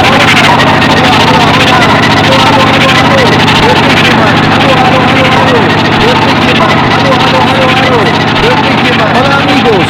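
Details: Old Mercedes with heavy steering, engine running: loud harsh screech from power steering pump, present even without steering; fluid suspected low.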